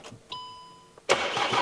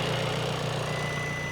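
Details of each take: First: 2017 VW Transporter T5, non-start, timing belt suspected to have skipped teeth, airflow sensor plugged in: starter spins at a steady even beat about 2.5 seconds and never catches; no fault codes, cause not confirmed. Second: 2017 VW Transporter T5 diesel after timing belt failure and a brand-new replacement engine, first start with fluids still priming: short steady idle with no knocks or misses, sounds sweeter.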